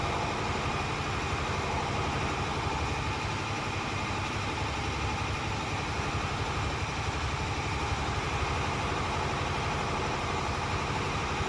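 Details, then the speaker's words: Automatic truck in CDL brake inspection, in neutral with parking and trailer brakes set, throttle raised to build air pressure to 120 psi; steady raised diesel idle drone with no distinct hiss as the air governor cuts out normally at 120 psi. "There's the governor cut off. That means my air governor is working properly. My pressure is normal at 120 psi."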